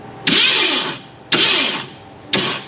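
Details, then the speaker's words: 1967 Ford Mustang Fastback, abandoned: three short cranking bursts, starter spinning freely with no firing; crank no-start, no spark, suspected no power to the coil. "Yeah. No spark yet. No spark."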